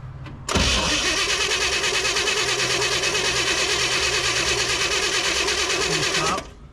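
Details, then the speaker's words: 1960 Chevrolet El Camino unrun since 1998, with spark at the coil but none at the plugs; an even starter churn for about six seconds that never catches, because the distributor rotor was missing. "All right, pro tip, everybody. When you have spark at the coil, but not at the spark plug, you might be missing this."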